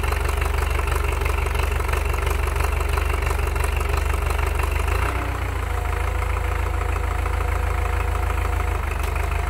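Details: Belarus MTZ-82 water-cooled diesel tractor idling just after cold start at about -25°C (-13°F) overnight: heavy, steady low clatter about three beats a second, slightly uneven.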